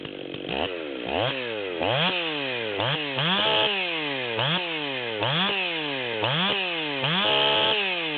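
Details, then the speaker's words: Stihl 440 chainsaw (low-hour 044 bottom end with new 440 top end and carb, Psy-Ko zip-kitted) revved up and down unloaded, uneven stumbling burble at top revs: a pretty decent miss at high idle. "So we can hear it's got a pretty decent miss at high idle in the 440."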